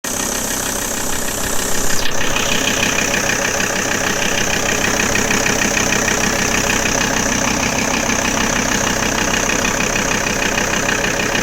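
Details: Audi A6 C4 2.5 TDI (AEL engine) diesel idling with an even ticking clatter about three a second; strange engine noise at idle, source unclear.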